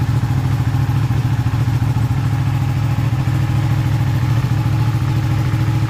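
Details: Ducati 959 Panigale race bike with a crank-no-start and misfire fault, started after a part was cleaned as an experiment. The engine catches and settles into a steady, even throb with no misfire or stumble, running properly now.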